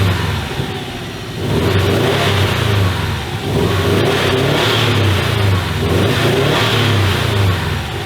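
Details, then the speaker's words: 2015 Subaru STI with rebuilt EJ257 turbo flat-four and rebuilt IHI turbo, just started after the build: revved in repeated blips, exhaust note choppy and uneven, misfiring; uneven compression seen earlier, later traced to a cracked head. "Okay. Well, now the car is misfiring."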